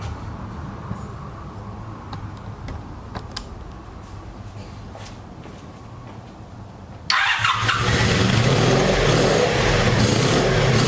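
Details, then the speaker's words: Abandoned 1984 Honda Saber VF700S V4 after long storage and new ignition coils: cranks, catches and runs rough and spluttering, smoking as Marvel Mystery Oil and water clear from the exhaust; one cylinder now hot, so rings are freeing up. "oh man it runs but it's it's got all that uh marvel's mystery oil and um water that's in the exhaust so it's just going to smoke for a while until it clears out"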